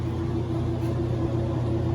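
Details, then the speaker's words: Kenmore 90 Series top-load washer after repairing worn transmission bar that caused loud noise when spinning: steady, even low hum, fast smooth spin, no knocking or grinding. "nos quitó el ruido por completo, el ruido que tenía. Esta lavadora ya quedó al puro fregazo. Qué bonito spin tiene, súper rápida."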